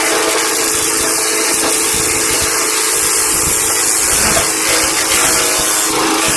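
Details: MTD 5 hp flail-arm wood chipper after a flail arm repair that fixed a banging: a steady, even, high whirring roar with no hits. Running normally.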